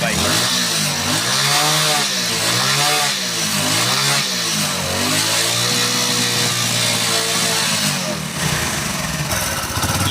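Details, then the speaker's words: Hero Honda Splendor Plus single-cylinder after a spark-but-won't-start fault was fixed; revs rise and fall cleanly through repeated throttle blips with full response and no stumble or missing; normal revving. "जो bike है वो पूरी तरीके से start है bike के अंदर ना ही कोई मिसिंग की प्रॉब्लम है और ना ही कोई और प्रॉब्लम है"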